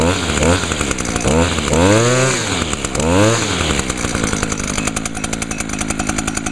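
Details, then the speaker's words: 2011 Echo PAS 230 with a 22.8 cc two-stroke engine, just started using choke and primer: crisp buzz blipping up and down, then holding a steady high rev with clean pickup; healthy, running at a much higher RPM than the SRM 225. "yeah as you can hear that this one runs at a much higher RPM than the srm225"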